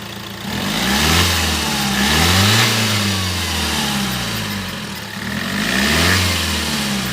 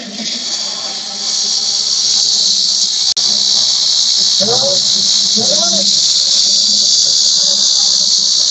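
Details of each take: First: After the turbo vacuum solenoid actuator and its vacuum line were checked, revs rise and fall smoothly with turbo whoosh; the loud noise that earlier came on acceleration and risked turbo damage is gone; normal revving. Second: Under high acceleration or revving, a loud metallic hiss and whistle comes from the engine side around the turbo and swells with revs. The turbo wastegate actuator isn't getting vacuum because its control solenoid is faulty.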